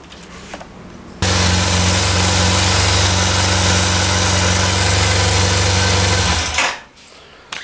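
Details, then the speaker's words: 2004 Yamaha T-Max 500, first-generation injection, 47,000 km, at idle: loud, fast metallic chatter about four beats a second throughout; timing chain rattle from failed mechanical cam chain tensioner. "donc comme vous pouvez l'entendre il y a un petit bruit de distribution enfin un petit bruit un gros bruit donc je pencherai plus pour le tendeur de distribution"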